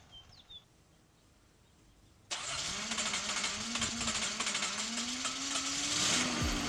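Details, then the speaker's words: 1981 Datsun 280ZX, just fitted with new plug-and-play fuel injectors after loss of power and rough idling: engine starts and settles into an even idle with a strong airy hiss, like air escaping; hiss source not yet found, checking for fuel leaks. "all right guys so far so good I'm still hearing that hissy noise"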